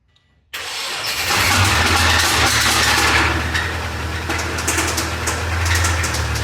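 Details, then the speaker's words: 2004 Subaru 2.5 TS engine, jump-started with a jumper pack: rough idle with loud metallic clicky-clacky clatter and irregular knocking. Comprehensively blown engine, to be swapped for a junkyard engine. "so yeah that is the familiar sound of a comprehensively blown up Subaru engine"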